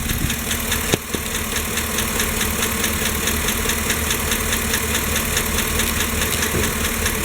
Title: Lifter tick 5.3 Chevy Silverado GMC Sierra. How to fix? ATF?